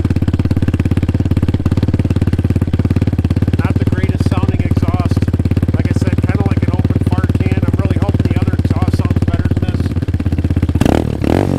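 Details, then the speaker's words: Hyosung Hawk DLX 250cc, stock exhaust with front pipe cracked a second time and muffler internals coming apart, cold start: loud raw rapid popping blatty idle like an open can, idling somewhat high; before fitting new aftermarket exhaust. "It doesn't sound good, like an open fart can, basically."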